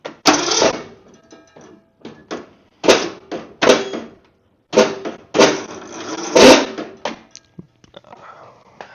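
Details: Mower with the choke on: short, strained cranking bursts that stop and restart with no catch, and it won't start.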